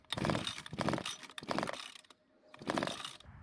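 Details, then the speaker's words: Rare John Deere string trimmer from a garage sale, with kill switch wires disconnected: four rope pulls, each a ratcheting recoil whirr with no firing; cranks but no start with no spark. "unfortunately we still don't have any spark so I'm gonna try it one other way"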